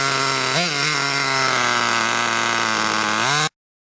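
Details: Hyper 7 nitro RC car after clutch shoe replacement, which had been revving too high before engagement: high buzzy two-stroke note holding steady with quick blip and rise; engine runs and revs cleanly.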